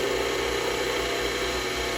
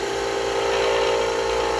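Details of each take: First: Skew chisel on a lathe smoothing a spindle blank with the tool tip up: a steady hiss of shaving over a constant lathe hum, even, with no chatter or catches. A clean, smooth cut taking off the high spots, not a ripping or peeling cut. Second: Spindle blank being smoothed with a skew chisel on a lathe: a steady mid-pitched squeal over the cutting hiss signals workpiece vibration, which probably calls for tightening up slightly.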